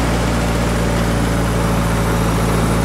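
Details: Antique Hobart engine-driven welder, belt-driven governor holding it at welding speed (1800 rpm per data plate); constant, even drone with no hunting, surging or misses, governor holding speed properly.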